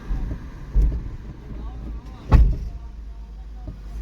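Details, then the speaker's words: Fiat Doblo 1.3, likely Euro 5, 80,000 km: two heavy dull thumps over low engine rumble when pressing and releasing throttle in second gear and pulling away; worn gearbox mount letting gearbox rock and knock. "Evet arkadaşlar motor gaza basıp bırakmaları hızı bir şekilde vuruyor ikinci viteste gaza basıp basıp bırakıyorum acayip bir şekilde vuruyor arkadaşlar"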